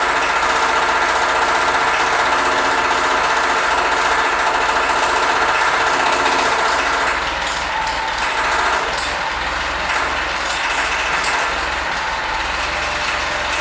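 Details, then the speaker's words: Freshly rebuilt Ford tractor at first start: quick steady slapping tick and thin high squeal over the engine; fan hitting the shroud and belt squeak. "um when i was starting it up uh two issues presented themself right off the bat you can kind of hear both of them in the the video um the fan was hitting the shroud"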